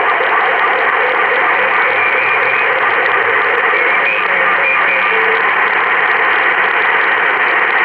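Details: Mobile ham radio on the 20-meter band: a loud, steady hiss and buzz wipes out the band without a break. It is strong interference of unknown source, possibly the parking lot lights.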